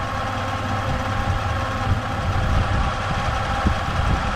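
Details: 3rd-gen Toyota 4Runner V6, which also has ABS issues, idling with a deep, uneven rumble and occasional stumbles: an intermittent misfire at idle whose cause is not confirmed.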